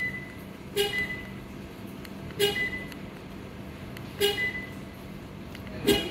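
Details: 2023 Toyota Agya alarm, silent mode being set by remote: four short horn chirps about every two seconds over light street noise; the alarm still sounds, so silent mode was not accepted.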